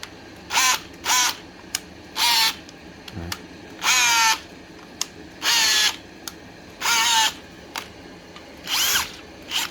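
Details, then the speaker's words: Bosch GSB 12-30 cordless drill: motor whines up in short bursts then drops out, only running sometimes and needing the direction switch flipped before the trigger works; faulty trigger switch. "อาการก็คือกดกดได้เป็นบางครั้งเห็นไหมกดไม่ไปเห็นป่ะต้องสลับสวิตช์กลับก่อนแล้วก็เหมือนจะกดได้นะครับอาการนี้นะครับสวิตช์เสียนะครับ"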